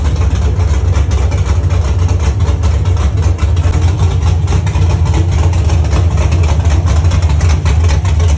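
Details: First start of a Chevy truck's cammed 5.3 V8 (Texas Speed 232/234 cam, 110 LSA) after a build and after fixing wiring ground issues: deep, loping, choppy idle pulsing about two to three times a second; sounds good and healthy.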